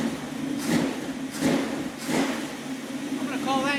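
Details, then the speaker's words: 1976 Dodge Dart V8, started cold and now warming off fast idle on a rebuilt Edelbrock carburetor (cheap rebuild kit) replacing a 780 vacuum-secondary Holley; gentle lumpy lope, soft surge a bit faster than once a second, from a mild cam; runs fine. "so that's not really too bad this has got a little bit of a cam in it that would be in a stock engine it might even idle smoothly"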